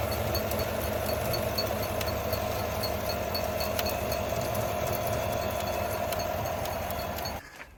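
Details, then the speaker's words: Ticking/tinging noise from the truck while driving down the road; owner suspects the belt. H: light metallic tick about four per second over the idling engine, steady and even, source not pinned down; cause unconfirmed. "So as I get further and further down the road, it goes ding, ding, ding, ding, ding, ding, ding, ding, ding."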